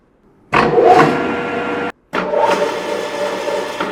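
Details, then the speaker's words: Grizzly G4003 gearhead lathe, top cover off, spun up to 800 rpm: steady gear whir drops out briefly as it hangs up, then kicks back in; owner suspects the motor-pulley bearing pack, worsened by thick oil, causing the gearbox bang. "It kind of hung up and then kicked in. And I think that's the thickness of the oil that's exacerbating it."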